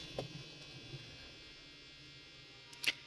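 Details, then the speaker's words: HP EliteBook Folio 9480M laptop before disassembly and service: faint, thin, high steady whirring buzz; fan clogged, airflow not coming out, needing fan cleaning and thermal paste replacement. "इसका ब्लोर जो है ना वो by नहीं आ रहा हवा का pressure बाहर नहीं आ रहा अंदर ही है तो ये फैन बांध हुआ हुआ है"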